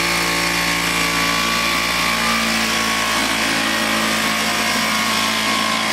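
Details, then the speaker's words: Vintage Flymo hover mower after reassembly, carburetor believed out of adjustment, kill wire not working: buzzy two-stroke running steadily but slow and lazy; low rpm running before speed is raised, cause unconfirmed. "well kill wire don't work well we got it running i'm going to boost up the rpm a little bit and i'm going to fix that kill switch"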